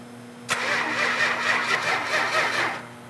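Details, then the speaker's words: 1971 Dodge Challenger R/T 440, fuel pump on and oil pressure present: the engine turns over steadily for about two seconds and never fires, then stops; no spark, caused by a faulty ignition coil. "yeah we got no spark the fact that the 440 didn't fire right off is because of a faulty coil"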